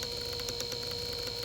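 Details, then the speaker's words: New 120 V drain pump motor for a Samsung front-load washer (ND no-drain code), bench-tested on a switched extension cord; steady even hum with clean high whine, clicks right on at full torque, no rattle, runs smoothly. "Okay, here's the same scenario with the new motor and pump. You can see how much smoother this runs. Clicks right on."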